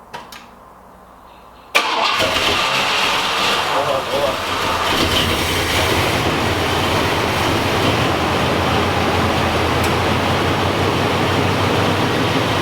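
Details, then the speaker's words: 1986 Oldsmobile Cutlass V8, junkyard car, first start after adding coolant, a couple gallons of gas and priming the carburetor. It catches quickly, then runs lumpy and shaking with a misfire. "start quick it's still going out of there it sounds weird it's running that was quick a Mis fire see it shaking like that"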